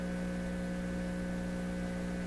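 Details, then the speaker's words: PYE 39HC shortwave broadcast tube receiver through its speaker: steady low hum with a buzzy overtone under faint static, unchanged after disconnecting the grid meter. Source unknown; owner wonders if he caused it. Mains hum in audio output. "is with my radio where this hum come from you know I hadn't been listening to it for a while in the speaker did I bugger it up at some point"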